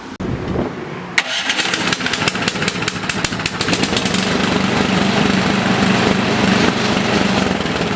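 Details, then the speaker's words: Toro snowblower four-stroke engine whose lean carburetor caused rough running and surging, after adjusting the carburetor screw: pull-start catches, revs climb and hold steady with no hunting; surging fixed, normal steady running. "So, I'll start up the machine here, and the surging should be gone."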